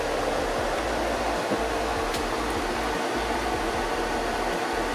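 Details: Blower of a Chinese air-conditioning unit retrofitted to a 1995 camping-car, running at full speed, parked in full sun at 43 °C; steady airy rush with no rattles, pulsing or squeal, cabin cooling from 32 to 26 °C; blower sounds healthy.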